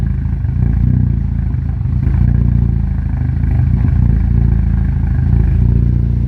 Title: Rough idle